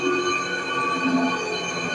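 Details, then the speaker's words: Electrolux 10.5 kg washing machine in spin mode: loud, steady roar with several sharp whining tones on top, also loud during agitation. "pessoal, aqui a máquina já está em modo de centrifugação. Vocês percebem aqui que o barulho também está um barulho bem forte, né?"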